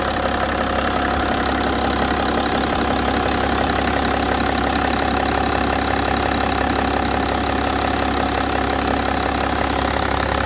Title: e60 530d m57d3 "knock knock"bad engine sound.